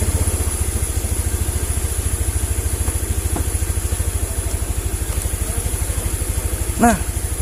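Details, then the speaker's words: Honda Vario 110 (first model) scooter, kick-started with the battery disconnected: a steady, even single-cylinder idle with no misses, though the throttle sits a bit too high. "Nah, oke guys, motornya normal. Tunggu tuh, gasnya terlalu tinggi, terlalu kencang nih."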